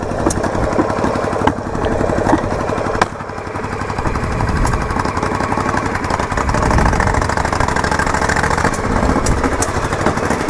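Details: Yamaha Virago XV920 café racer on its first ride after a build: a lumpy twin rumble with loud backfire pops every second or two, plus an unidentified clicking; no grinding noise; owner says the carbs definitely need syncing.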